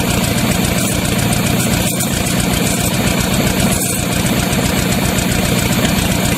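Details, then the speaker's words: Used Chevy 350 small-block V8 on an engine stand, after carb cleaning: loud uneven idle with irregular exhaust stumble; good oil pressure, not overheating now; pulling number three plug wire made no change, suggesting that cylinder was missing. "the second thing is act like it's was missing so pulled the number three plug wire off"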